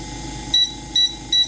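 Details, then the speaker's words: AromaO2 oxygen concentrator control board, after a 2.2k resistor was fitted in place of a 22k part: three short high beeps over a faint fan hum. The power, timer and manual buttons now respond normally. "and the timer button works and the manual button just works i think i got it figured out"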